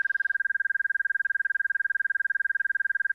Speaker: Notice it immediately puts me in the stall warning. I'm right on the edge of the stall, no big deal. My AOA system allows me to hear that.